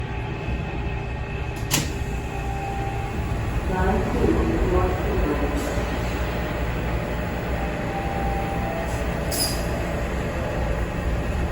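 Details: TTC T1 Bombardier subway car 5283 on Line 2 starting at Keele, 1/18/22: uneven, loose odd rattle riding over steady track rumble while moving, recurring again later in the ride.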